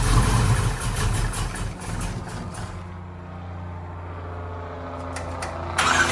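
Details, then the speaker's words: Big V8 with a lumpy cam fires and settles into a lumpy, uneven loping idle; suspected too little ignition timing, carburetor not ruled out; rough idle. "if it has a lumpy cam in it like you say it does it probably doesn't have enough timing in it to idle right"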